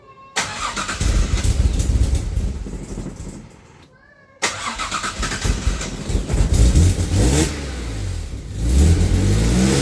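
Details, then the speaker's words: AJ30 Jaguar / Ford Duratec V6 in a Gilburn Invader on ME360 ECU, started after setting both cams to advance the same: runs roughly, dies, restarts to uneven idle; persistent stalling, owner thinks worse when cold, cause unknown. "Now, I do still have a persistent problem of stalling. It's worse when it's cold, but um this is a detail, but um is it worse?"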